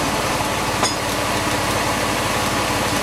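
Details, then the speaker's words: Porsche 911 996 C4S after swapping in borrowed belt pulleys to cure a noisy serpentine belt, MAP sensor and air intake disconnected: even, slightly lumpy idle with no squeal, chirp or rumble; pulleys now quiet. "now it's going to run a bit like that cuz the map sensor is off and the air thr is off but that does sound quieter"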